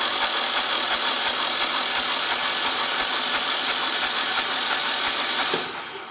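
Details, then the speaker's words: Generac standby 999cc V-twin (0J9333) pulled for low oil pressure shutdown, bench-cranked through the solenoid; steady cranking whir with regular chug about three per second, no binding; 50 PSI oil pressure at cranking, sensor suspected. "We got 50 PSI at cranking speed, so that that's good."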